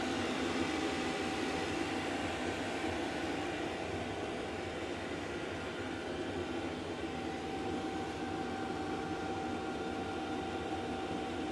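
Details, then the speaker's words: Diesel heater that wouldn't start and kept blowing white smoke, now running after being stripped down and repaired: steady even roar with constant mid-pitch hum, no surging or sputtering; burning cleanly, normal running. "As you can see from the title of the video, my diesel heater decided to play up. And as you can now see and hear, it's working."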